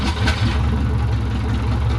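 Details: Rover Mini Sidewalk, first run in 14 months after engine and suspension work, no exhaust fitted, out of gear. Loud, steady, even idle with a deep low rumble and no knocks, misses or hunting: normal idle.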